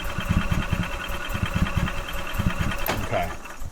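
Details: 2012 EZ-GO TXT gas golf cart with Kawasaki engine, crank-no-start. An inline tester showed spark and fuel delivery was suspected. The starter churns in uneven bursts and the engine never catches.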